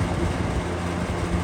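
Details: Vintage McGraw-Edison Comfort box fan: a steady low hum with a fast, even buzzing rattle from the loose carry handle chattering, audible from low speed (1.25 A, 89 W) and worse on high (2.2 A, 157 W).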